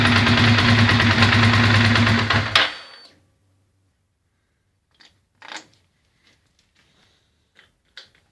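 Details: Ducati Monster 620ie at idle: uneven lumpy, stumbling beat on one cylinder before shutdown; misfire from a bad fuel injector, confirmed as swapping injectors moved the problem to the horizontal cylinder.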